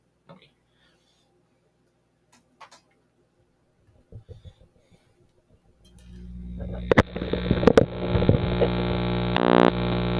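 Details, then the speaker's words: Homemade single vacuum-tube triode amplifier: after a few quiet clicks, a loud steady low buzz that gets louder when grid is touched to ground. Amplifier not amplifying, only buzzing. "as you might have been able to hear there uh the buzzing noise got louder when I connected these two together grid to ground"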